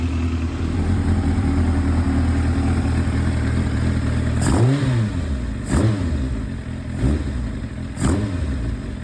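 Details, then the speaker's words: Kawasaki ZX-7R four-cylinder on first run after restoration, warming slowly toward temperature before carb balancing; coolant risen a bit from lower level, no violent bubbling. Even idle, four clean throttle blips with no stumble; normal warm-up idle. "I'm getting slowly up to temperature. Nothing worrying now. Coolant's risen a bit, it was at the lower level."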